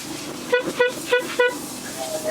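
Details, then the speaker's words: During preventive maintenance: four short horn toots, a clear steady mid-pitched note about a third of a second apart; this horn works normally, though the horn up top doesn't work and needs fixing. "Make sure that this one does, the horn up here doesn't work, but it works here."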